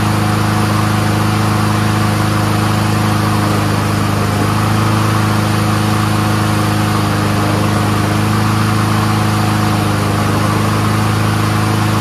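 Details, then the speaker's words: Troy-Bilt 21-inch front self-propelled mower with Honda engine, warming up: steady, even single-cylinder drone at constant speed with no misses or surging; runs smooth, carburetor clean, normal. "stop foreign runs great really smooth there ain't nothing dirty about that carburetor runs on full choke runs on full run uh self-propulsion works"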